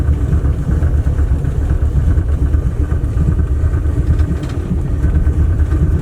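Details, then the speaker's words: Dodge Aspen V8 first driven after 17 years sitting, about 90,000 miles: deep uneven lumpy stumbling rumble; rough running, dies at the slightest throttle. "not like the slightest bit of throttle I tried it just dies"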